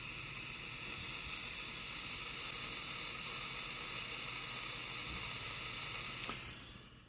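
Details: Home-built 40 m direct-conversion receiver after fixing an AF amplifier hum: steady hiss with no mains buzz and faint CW Morse tones underneath; normal receiver static, working properly.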